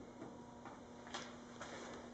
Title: Dodge Charger front fascia creaking noise